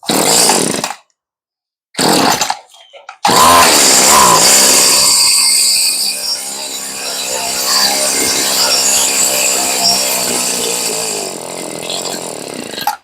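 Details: Stihl string trimmer after a fuel-line and carb rebuild, throttle untouched, on full choke despite a broken choke lever: a few short bursts, then a high buzzy two-stroke note holding fairly steady; mixture close.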